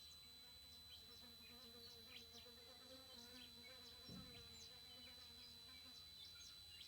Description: TriStar TS-MPPT-60 squealing. The squealing lasts for about 15 minutes, usually first thing in the morning and last thing at night, but we've now noticed it squealing loudly in the day as it transitions between MPPT and Absorption stages.